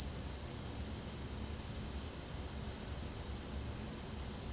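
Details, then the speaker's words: 1980s Yamaha KX-300U cassette deck after repair, cheap tape recorded and played without noise reduction: steady high test tone over heavy constant hiss, with high-frequency drop-off around 10 kHz. "This is with no noise reduction. And it's bad, so if you're wearing headphones, be careful."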